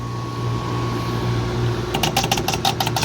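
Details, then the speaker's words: Two-stage Carrier package AC unit not cooling, with refrigerant restrictions and recently replaced contactors and low-pressure switch: steady mains hum, then rapid buzzing clatter as a contactor chatters. Pressure switches suspected, unconfirmed. "gonna chatter all right what the hell is chattering that let's try the low low pressure could be it too"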